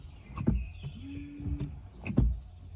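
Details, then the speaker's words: SUV wiper blade about a year and a half old: brief rubbery squeal near the top of each sweep with a thump at reversal; worn blade noise, gone after fitting a new silent-type blade. "雨刷已经过去了大概1年半的时间，现在这个雨刷在这个主雨刷的上端就已经有一些雨刷噪音出现了，就像这个"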